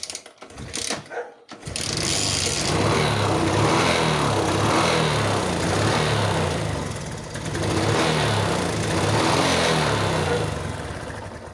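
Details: Suzuki Smash motorcycle with hard starting and poor acceleration, tried with a replacement battery: engine revs up in two slow, uneven swells that sag instead of climbing cleanly; hesitation persists, cause not yet found.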